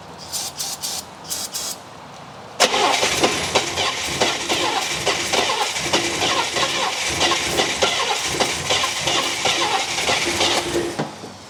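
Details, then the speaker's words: 1964 Buick Electra engine that sat about 25 years and was seized, freed days earlier, run briefly with no water pump hooked up: cranking bursts, then catches and runs with an even, busy mechanical beat, no heavy knock. "Well, that sounded pretty good for something that was seized up a couple of days ago."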